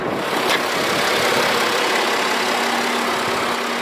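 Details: BMW F10 535d 3.0 diesel idling with a loud, steady rushing roar from the electric cooling fan running at high speed; the owner reports the fan running fast while driving, and only a throttle flap fault code is stored.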